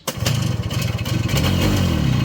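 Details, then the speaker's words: 1981 Yamaha YT-125 two-stroke, leaking oil badly with seals due for replacement and throttle cable just repaired, had been running moments earlier: the pull start catches into a ragged, uneven popping run that surges and sags but can't settle. It fires briefly but won't keep running. "Oh. Now it's gonna call me a liar. Come on. It's having oil cleaning issues, obviously, but I just had it running."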